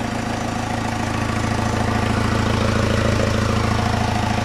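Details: Diesel, first start after head rebuild and swap to low-mileage replacement engine, oil primed and injectors reconnected: steady, even diesel clatter at settled idle, no misses or knocks; healthy idle.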